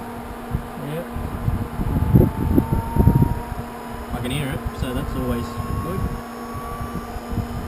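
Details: Newly fitted electric power steering pump in a V8-swapped Toyota Hilux, first power-up: steady low electric hum with a faint rising whine over background; pump running normally.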